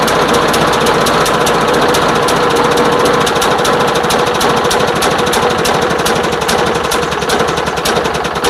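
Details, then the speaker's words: Craftsman lawn mower, customer says won't start or run, fresh fuel, oil checked, before tune-up; starts but stumbles with uneven sputtering pulses, choked out by gasoline-soaked air filter and damaged pre-filter. "Okay, well, let's pop it open. Take a look at that air filter cuz I mean, it sounded like it was choked out pretty bad."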